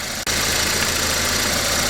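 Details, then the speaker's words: VW Passat B5.5 with power steering problems, after repair: steady, even engine idle with a soft hiss and no power steering pump whine, much quieter; a slight pump whine remains in big turns. "well definitely found a lot quieter now"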